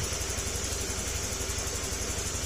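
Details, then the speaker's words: Honda Click 150 scooter, 41,000 km, after engine overhaul with crankshaft work and ECU wire rerouted; smooth, even idle with soft steady pulse, no knocking or rattles, quiet again; normal idle. "Tahimik na ulit."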